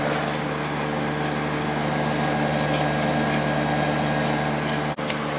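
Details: Late-90s Whirlpool Accudry 40-pint dehumidifier (reciprocating compressor, likely Embraco, Emerson fan motor), running open before reassembly: steady, even compressor hum under smooth fan rush, no knocks, rattles or squeal; discharge line almost too hot to touch; running healthy.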